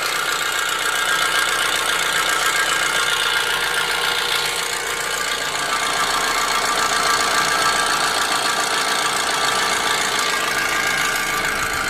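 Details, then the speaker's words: Audi engine at idle with sharp, fairly regular metallic knocking and a bright, tinny edge; an example of engine knocking. "So these next 3 videos are going to be 3 quick clips of an engine knocking, a bad PCV valve, and a bad timing chain."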